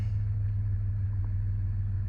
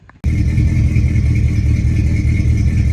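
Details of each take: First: Old Ford Ranger after replacing bad fuel injectors, new intake manifold gasket and spark plugs; smooth steady low rumble with no skips; normal idle after repair. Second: Old Ford Ranger six-cylinder running with a horrible misfire; loud uneven lumpy stumbling beat with rattle; spark present at all six cylinders but no fuel, owner blames a couple of bad fuel injectors.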